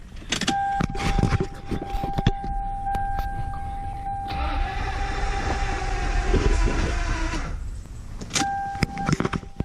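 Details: Lexus LS400 after new wires, plugs, cleaned terminals and charged weak battery: steady warning chime, about three seconds of starter churning that never catches, chime returns; cranks but won't start, owner suspects fuel regulator, not confirmed.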